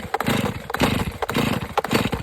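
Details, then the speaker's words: Brand-new Stihl chainsaw pulled cold without choke: repeated starter-rope pulls about twice a second, short rasping bursts, engine never catches; no-start without choke. "Nothing. That's a common occurrence."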